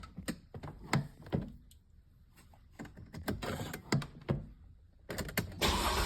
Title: and she keeps trying, pumping and cranking and no start but she won’t give up easily